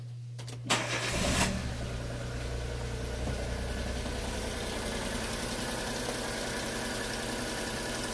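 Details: Daewoo Matiz petrol after an oil, filter and spark plug change: short crank, catches at once and settles into a smooth, even idle with no misses. Normal start and idle; a squeak is noted afterward, suspected to be the alternator.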